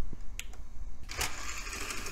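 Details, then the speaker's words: Vintage Dell desktop optical drive: head carriage moves and spindle spins, but a few light clicks as the lens hunts. The disc whirs up and never settles into reading, failing to get focus lock. Later lens cleaning didn't help. "spindle works and it sounds like the head can't get a focus lock oh there it goes Maybe nope never mind it came close"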